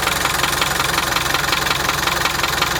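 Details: 1987 Land Rover One Ten 300Tdi diesel idling with a fast, even top-end tick over the clatter; after overheating, head skimmed beyond limit and thickest head gasket fitted, noise present two years, source unknown.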